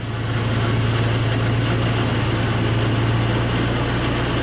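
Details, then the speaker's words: 1940s Ford tractor engine restarted after an out-of-place extra O-ring was removed following a big oil loss: steady, even low idle rumble with no knocks or misses. Oil pressure is coming up and no oil is spraying anywhere. "oil pressure is coming up not spraying any oil anywhere"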